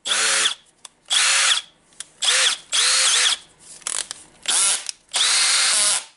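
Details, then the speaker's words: Milwaukee M18 CBLDD brushless drill driver, after replacing the broken motor ball bearing and cleaning the motor, gears and controller, spins up and winds down with a clean, even whine on each trigger pull and no grinding. It previously made a bad noise. Normal running after repair. "little and it's a good working drill except the rubber going out so yep it's the new ball bearing and the cleaning for now"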